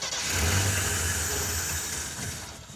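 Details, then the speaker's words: '76 AMC Pacer off-road 4x4 with Holley Sniper EFI two-barrel kit; engine cranks with a low churning drone that swells and fades without catching; electric fuel pump not running, so no fuel delivery. "that sort of wants to run I wonder if it might just be out of gas well the fuel pump would still run you would hear it go cranking [Music] okay yeah it's got no fuel"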